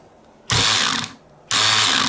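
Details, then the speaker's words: Electric screwdriver driving screws into repaired plastic screw posts in a PlayStation case: two short bursts of fast, high ratcheting clicks as the torque clutch slips at its setting. The repaired posts hold and the screw won't go further. "there we go you can hear the clutch slipping so it can't tighten that screw anymore let's try the other one and again clutch is slipping"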